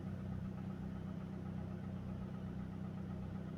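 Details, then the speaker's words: Idle after replacing a bad ignition coil that caused a P0300 misfire, no check engine light: even, steady idle hum with a smooth low pulse and no stumble, engine running cleanly. "The engine works nicely."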